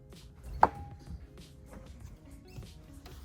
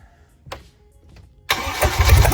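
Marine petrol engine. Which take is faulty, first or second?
first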